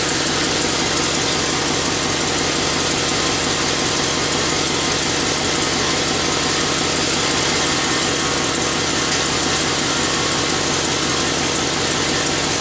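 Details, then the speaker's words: Chevrolet Silverado 6.0 V8 idling after a water pump replacement while burping the coolant system: steady idle with a fast, dry ticking puff over the exhaust note from a leaking exhaust manifold. "I can hear it. I got an exhaust leak. It's from the manifolds. I'll worry about that another day."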